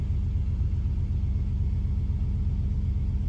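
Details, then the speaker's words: 2007 Jeep Commander 4.7 after idle air control valve replacement (had dipping idle and occasional stalls), first start while cold: deep, even rumble at slightly raised cold idle, steady pulses, no stumbles or knocks; idling well, expected to drop as it warms. "it's idling pretty good right now"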